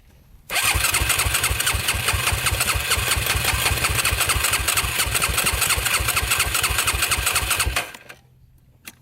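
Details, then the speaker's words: Yamaha YFZ450 quad, broke on first ride: steady starter cranking about three beats a second for seven seconds, never fires; owner suspects no spark, possibly a disconnected spark plug wire, unconfirmed. Crank no start. "It almost seems like it's not getting spark. Not good at all. Might have to take her home and check out the spark."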